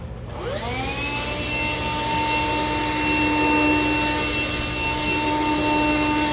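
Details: Black & Decker Floor Buster SV3000, a 1990s cordless vacuum on a VersaPack battery, brush roll running on bare floor and carpet passes. Steady high motor whine without strain or surging; weak suction, leaving debris along the edges.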